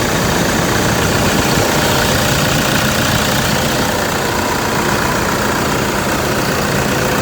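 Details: Toyota Fortuner 2.5 G VN Turbo diesel, registered 2011, one owner; steady, even diesel idle with smooth unchanging clatter, no knocks or misses. Engine described as quiet and very smooth, no blow-by at dipstick; healthy.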